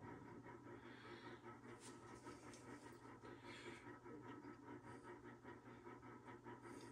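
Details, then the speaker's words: Trane XV95 propane furnace after replacing a 115V/24V transformer damaged by a power surge. On startup a low, even motor hum and soft rhythmic airflow settle in with no rattles or clicking; the furnace appears fixed. "so it's going through its setup and I do believe it is fixed"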